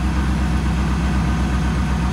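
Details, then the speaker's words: Ford van with 5.4 modular V8 that is losing coolant, just started with oil and coolant smoke: deep idle with a slightly uneven pulsing beat, missing on one cylinder. "actually no it is missing on one cylinder right now i can hear it"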